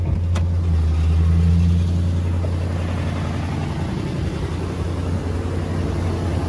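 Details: 2004 Nissan Titan petrol V8 bought as a crank-no-start: steady, even low hum at idle with no misses, knocks or hunting; normal idle.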